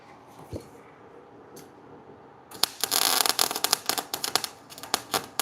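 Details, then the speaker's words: MIG welding test, setting D, wire speed being tuned: crackling, sizzling arc in short even runs after quiet setup; sounds much better, speed seems about right. "See, that sounds good to Hey, that that sounded way better to me."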